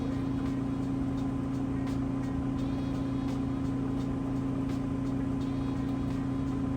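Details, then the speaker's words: Like-new Kenmore HE washer on final test load at highest spin speed: fast even hum at one steady pitch, no thumping or rubbing, drum spinning very fast with drain cycling on and off; normal. "but it is spinning very very fast which is great because those clothes will come out nice and light and drive very quickly"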